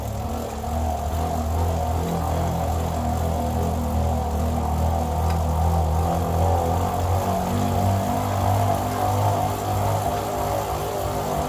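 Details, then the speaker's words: Elite Turbo Roteo indoor bike trainer, about 50 hours of use, recorded with the bike mounted under hard pedalling: a steady low drone that grows louder with effort. Noise has been rising and some vibration is felt; loose bearing seats suspected, but no shaft play found. "kind of comes through and when you're cycling hard that gets louder and louder"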